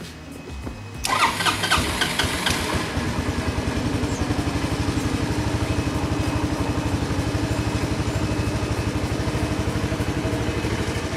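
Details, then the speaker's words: Honda Helix CN250 250cc scooter after replacing the fuel filter with an OEM one and adding fresh gas, fuel running low; catches after brief crank, a little hard to start, then steady even idle with no bogging; normal start and idle. "I think the bad fuel filter was part of the reason why it was so boggy earlier sorry placing that fuel filter and putting in some fresh gas even though we are running a little bit low that's probably why it was a little bit hard to start there"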